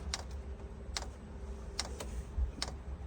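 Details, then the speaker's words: 2 kW Chinese diesel heater in a 1997 Mazda Bongo Friendee diesel, after clearing an E-07 code: glow plug and fan on, fuel primed, dosing pump ticks about every 0.8 s feeding fuel through the copper line; normal startup. "fuel pump is now ticking away down here it's going through that copper line all the way around going into the pump"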